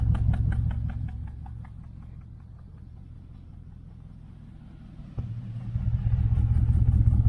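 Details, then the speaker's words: 1968 Chevelle Nomad V8 lumpy idle that stumbles now and then; code reader shows misfire, one side sounds different; owner suspects a coil, and exhaust clamp is loose; coils showed spark when checked, so cause unconfirmed. "Now it doesn't sound like a miss. But it kind of does on this side when it does do it."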